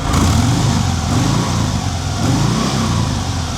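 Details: 2023 Harley-Davidson Sport Glide 107 (FLSB), about 1,116 miles, warmed up: deep, lumpy V-twin rumble swells and eases with the throttle, even firing, no ticking or knocks; healthy engine.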